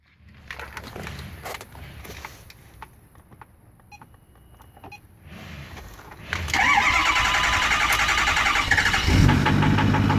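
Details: 2008 Ford 6.4 diesel Super Duty starts and settles into idle with a hard, steady knock about three times a second; cause was a faulty new reman injector, fixed by swapping it out.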